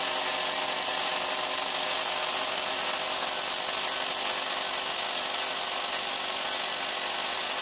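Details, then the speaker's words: APS V2 airsoft gearbox stress test with M120 spring, new piston and rack, T238 brushless motor: a steady thin whirring grind as the motor spins over stripped teeth and firing stops. Motor a little warm, pinion fine; the bevel gear teeth have sheared. "well we stopped why did we stop though I was expecting a massive failure it's definitely not doing as well as it should be"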